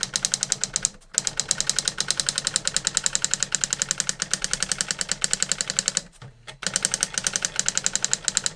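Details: New-in-box circa-1985 Epson DX-10 daisy wheel printer printing a Windows 2000 generic text-only test page via printer port: fast even train of sharp clicks about eight per second, brief carriage-return pauses; worked perfectly, normal printing.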